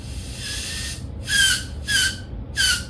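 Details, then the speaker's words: Fuel injector from a GMC 6-cylinder on a bench test with carb cleaner inside and compressed air blown through the top hose: sharp high-pitched squeaks in short bursts about every half second as air backs up into the hose; the closed injector is sealing properly. "getting that squeaking noise is back pressure back to the hose because this is closed off."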